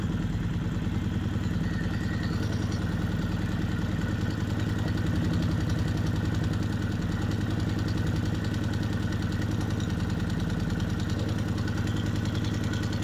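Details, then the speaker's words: Kawasaki Vulcan 750 warm idle, manual cam chain tensioners loosened half a turn then one full turn from the starting point: light rapid clatter riding on the thump, cam chain clanking from slack tension. "you just started hearing the clanking of the cam chain and then to show you further what a a loose cam chain um sounds like I loosened it further to one full looser turn from my starting point and you heard the clanking really bad"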